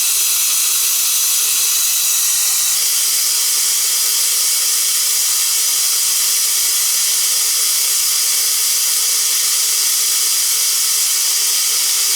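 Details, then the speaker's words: Hot-water faucet after replacing a gas water heater whose flame would not stay on: a steady hissing rush of air and water spits out as air still in the hot line is bled. "there's probably a little air in there still you know i'm gonna go upstairs and bleed the air out of the thing"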